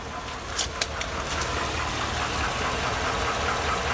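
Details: 2002 Chevy Avalanche 5.3L Vortec V8 on 5W-30 oil, rarely driven, at idle: light, fairly quick, slightly uneven ticking that gets louder as the engine warms and is worsening; owner unsure if lifter tick or rod knock.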